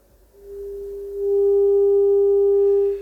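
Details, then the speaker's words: Telefunken Operette 6 Bluetooth module output, scoped, playing a 400 Hz test tone via Bluetooth: steady tone with faint raspy edge and overtones, slight distortion. "I I don't know if you can hear it also on the uh on the video but it's slightly distorted it's not really a clean 400 Hertz stone"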